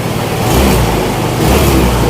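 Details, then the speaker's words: Yamaha Nouvo Elegance 135 automatic after engine rebuild, water pump and parts replaced, Yamaha coolant: freshly started cold engine with slightly raised idle hum and gentle swells from cold-start idle compensation, settling as it warms; smooth and quiet. "ถึงวันใหม่ก็จะมีมึงๆนิดนึงนะครับเห็นชดเชยรอบครับตอนนี้ก็เริ่มลงแล้วลงนะครับดีแล้วครับครับก็เรียบดีเงียบดีนะครับ"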